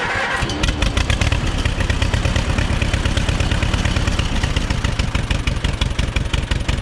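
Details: Auction-bought Allis-Chalmers WD-45 gas-engine tractor on a trailer: catches quickly and settles into a steady, even chuffing beat with no misses or knocks. Normal start and run.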